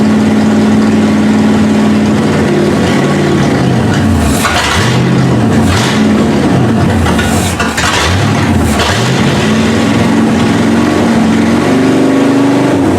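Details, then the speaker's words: 1971 Ford Ranchero carbureted V8 at first start, choke had been stuck shut: fast, hunting idle rising and falling unevenly; high idle, owner suspects vacuum leak and says carburetor needs work. "it almost sounds like it's still got a vacuum leak it's possible that the i know the carburetor needs work"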